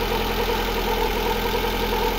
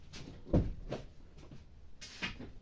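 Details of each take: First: Lada Granta engine after repair for ringing and knocking, reassembly complete: steady, even idle with smooth low hum, no ringing or knocking; engine running normally. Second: Lada Granta 8-valve: after a quiet start the engine idles with a steady metallic knock and ringing, about four beats a second; no piston-to-head contact seen, later most likely traced to skewed connecting rods, with piston wear on cylinders 1 and 3.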